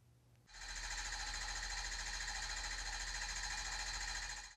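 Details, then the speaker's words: 2008 Ford F-250 6.4L Powerstroke diesel with low power and rough running, cylinder 3 slow on balance graph, relative compression test: steady cranking, every stroke equal strength; compression even, leaving cylinder 3 injector as most likely cause. "the cylinders look okay the compression on cylinder number three is equal to the others leaving the injector as the most likely cause of the issue"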